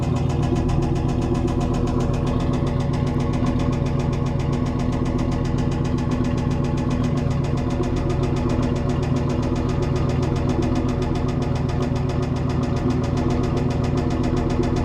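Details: 1995 Camaro Z28 LT1 V8 idling steadily with a faint, regular low knock under the exhaust rumble, diagnosed as bad rod knock; the car was bought already knocking.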